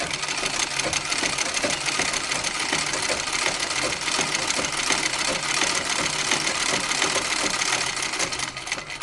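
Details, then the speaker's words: Singer treadle sewing machine with spring coil belt, run after adjusting the belt guard and guide: even rhythmic ticking at about three per second, following treadle speed, with no belt squeal or slap. Remaining noise is from the pitman rod hitting the axle; the belt runs quiet. "So that is a slight adjustment I made on to the treadle to make sure that the belt runs quietly and that there's no wear to the belt."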